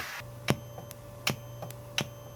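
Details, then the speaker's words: Goldstar FA-785 series integrated amplifier; every front-panel button (mode, mute, loudness) makes sharp ticks through speakers, about every 0.7 s over low hum, independent of volume, persists with pre-amp bypassed; suspected power-supply origin rather than signal line, unconfirmed. "이 버튼도 그래요. 프런트에 모든 버튼을 누를 때마다 삑 삑 삑 하고 소리를 한다."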